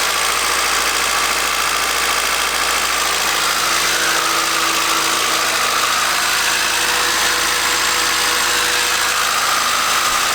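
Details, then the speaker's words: Fresh JDM B20 engine swapped into a Honda CR-V, first start at idle after sitting without oil: fast light ticking over a rough idle; valve lash suspected to be out. "i'll let it idle see if that ticking goes away it does sound quite a bit like the valve lashes a bit out though so i don't know it sounds a little bit loose"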